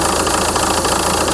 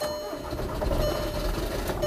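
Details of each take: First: 2004 VW Touran 2.0 TDI 136hp AZV diesel, warm idle: slightly uneven beat with small dips, unstable idle with surging; owner diagnosed fuel system losing prime via leaking tandem pump seal, after EGR valve and throttle body replacement failed. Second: 2004 VW Touran 2.0 TDI 136 hp AZV diesel, just after tandem pump replacement (leak was de-priming fuel system) and priming with ignition on: fires, catches and settles into steady even idle, no stumble, no fuel leak.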